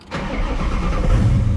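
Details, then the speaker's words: Built 5.0 Mustang GT, sat two years, after ground fixes and battery charge, MAF sensor disconnected: brief crank then prompt firing into an even, steady rumble; normal start. "nice. runs fine."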